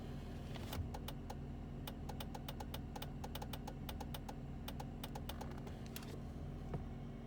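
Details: 1999 BMW Z3 2.3 (2.5 L) at idle: rapid irregular dry relay clicks in bursts while the clutch pedal is pressed, stopping on release; confirmed from the EWS 3.D immobilizer module, with occasional starting trouble.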